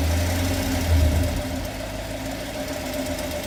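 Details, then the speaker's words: 2016 Chevrolet Camaro SS, LT1 V8, 6-speed manual, 25k miles, dealer oil changes: loud rattly tick from driver's side head, not the direct-injection tick, most prominent held at about 2,000 rpm; owner suspects a lifter. "sounds like driver's side bank. Lifter, I'm pretty sure. Definitely driver's side bank. Give it a little throttle, you can hear it. You can hear it rattle."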